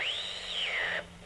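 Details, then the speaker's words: Home-built regenerative AM receiver on a 9-volt battery, feedback turned up with a station already tuned: a loud whistle sweeps up to a high pitch, sags, then cuts off, as the receiver oscillates from too much feedback. "okay there we go seems like that seems like they just shut off the station that I wanted to show you or there is something as you can hear too much feedback"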